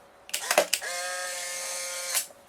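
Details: Polaroid folding SLR camera film eject: a few clicks, then even, steady motor whir for about 1.25 seconds before stopping; normal film ejection motor.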